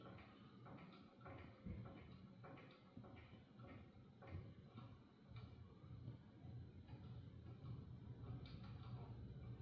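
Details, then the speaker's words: Hampton Bay ceiling fan model 52A4H4L on medium speed: ticking uneven knock about 100 times a minute over a low hum as it wobbles; bearings seem good, needs balancing and securing; failing mount bracket suspected, unconfirmed. "Jeez, it's moving that much on I'd say the bearings are still good. Just needs to be balanced and secured better."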